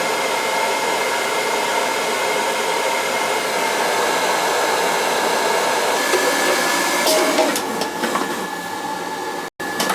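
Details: Riello oil burner on an NTI boiler, annual service, thermostat (TT) jumped out to fire it: smooth, constant blower roar with a faint steady tone, no pulsing or sputter. It runs clean after a new nozzle and a boiler cleaning earlier this year.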